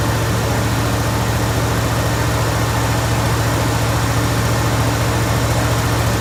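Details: Jeep Grand Wagoneer V8 idling just after fitting a new 94-amp alternator, with a dirty air filter still in. Deep, even rumble at a steady idle with no misses, ticks or knocks; a healthy-running engine.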